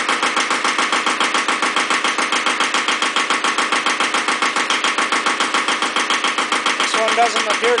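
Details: Second Iseki tractor diesel, possibly KE70, started at 70°F after glow plugs, low power and weak below about 1000 rpm: hard, sharp, even clatter about 214 per minute over a dry idle; cause unconfirmed.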